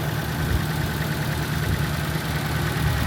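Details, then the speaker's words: Nissan SR engine after new spark plug: lumpy, uneven idle with irregular thumps and stumbles, still shaking and smoking a lot; misfire at idle, bad injectors suspected, not confirmed. "Still missing, it looks like. Dude, the SR is the only engine I've ever had this kind of problem with, I swear."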